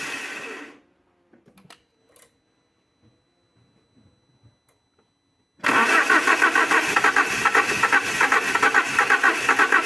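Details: Alfa Romeo 147 Twin Spark, towed in for misfires, rough idle and hard starting, started after new valve seals and timing belt with oily coils reused: quiet pause, catches at once and settles into a fairly even, steady idle; normal start.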